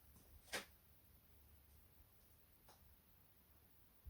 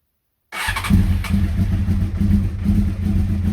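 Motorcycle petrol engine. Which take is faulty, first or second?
first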